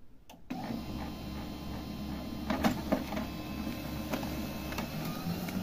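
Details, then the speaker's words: Canon MF232 printer during printing: a loud, harsh mechanical racket with irregular clacks, about three or four a second, with speeding feed, paper jams and an E100 error. The fault is attributed to the formatter board, which needs replacing. "такой мощный мощный звук изображение ночью и ничего так но жужжание ускоряется просто бумагу выплевывает и получается Джам изображение хорошее но бумага замятая все сказали нужно менять плату формата Вот она виновата данной проблеме"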